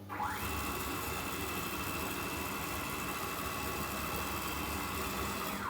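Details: CNC router steppers jogging under Mach3 at 4,000 mm/min configured speed: steady whirring tone with clean ramp up and down, smooth and even, no stalling; normal jog.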